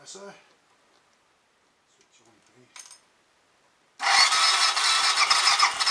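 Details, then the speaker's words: Royal Enfield 500 Machismo electric start single starting after repair (spindle refitted correctly, 20W-50 replacing ATF), choke on, cold; fires at four seconds and settles into loud, even thumping idle, sounding better. "I hope I'm not being biased but I think that sounds a bit better already let see what happens when it warms up a bit and gets a bit more oil flung around the choke is still on at the moment"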